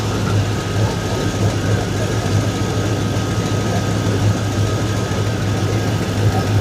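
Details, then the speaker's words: 2002 Chevrolet Silverado V8, just after transmission and Y-pipe exhaust install: deep idle with a puffing, ticking chuff on the rumble; exhaust leak around a V-band clamp that isn't seated all the way. "Also sounds like it's got a healthy exhaust leak."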